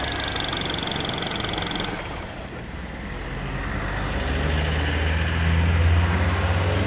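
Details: Mini R56 at idle after timing chain replacement: a light, fairly even rattle about three to four times a second over the idle hum. The chain-area noise remains and its cause is unclear.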